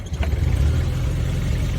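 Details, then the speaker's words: 1987 Suzuki Samurai (SJ413) just bought: very brief quarter crank catches almost instantly and settles into a steady, even low rumble with no misses, a healthy quick start. "you barely give it like a quarter crank and it fires okay check this out"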